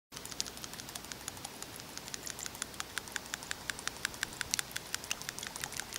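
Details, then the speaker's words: 1996 Honda Accord with oil consumption after a head gasket job: the PCV valve, cleaned again after partly sticking, now ticks lightly near three per second at idle. Better but not perfect, the ball rattles freely though not quite crisply. "should be able to hear that that's definitely better it's still not perfect but it should be enough to allow our little ball we'll check bottom line open and shut"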